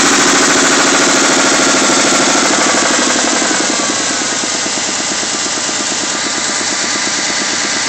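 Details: 3.2 litre V6 Mustang at idle, just back from the shop with new heads: steady quick knock about three per second, like a bottom-end knock; owner suspects a spun bearing, not confirmed.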